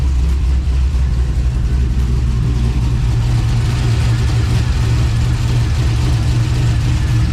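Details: 1999-2007 Silverado LS V8 after valve cover gasket replacement and repairing a split ground wire: even, deep burble at steady idle with no misses, ticks or knocks; normal idle.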